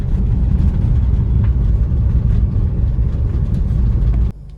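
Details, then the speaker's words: Maruti Swift on the road after new front shocks: steady low rumble with no knocks, clunks or rubbing over bumps. The earlier noise was a cover over the strut mount rubbing, not a bearing, and is now corrected; front struts are quiet. "അത് കിടന്ന് വരയുന്ന സൗണ്ടായിരുന്നു, വേറെ ബെയറിങ്ങിൻ്റെ അല്ല. ഇപ്പോൾ sound correct ആയിട്ടുണ്ട്."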